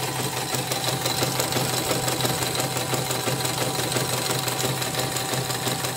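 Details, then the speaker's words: Portable CNY embroidery machine under test after repair: steady stitching near three beats a second with a rough, scratchy squeak each turn; still rough even with a borrowed new hook, old hook worn loose. Hook area suspected, not confirmed. "Tapi ini sudah dites, sudah mulai ini, nanti saya cek lagi suaranya kasar. Ini saya pinjam sepatu yang baru, masih kasar juga."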